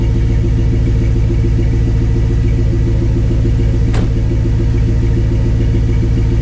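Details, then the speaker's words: Jeep after its tailpipe and custom exhaust were welded up, first run: a deep, even rumble holds steady with no puffing or ticking, no smell, and exhaust blowing out the back; sounds good with no leaks. "oh yeah sounds really good yeah that sounds great it's got a little bit of a rumble to it but it's not bad yeah I like that doesn't stink the C no it's blowing it all out here yeah I don't hear any leaks"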